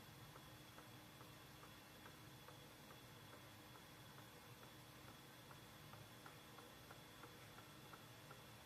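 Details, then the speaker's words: Unknown machine beside a bathroom: a steady, sharp tick about three times a second over a quiet hum; a regular rhythmic mechanical knock, cause unknown. "I thought someone was standing in my bathroom with the door open making that kind of noise."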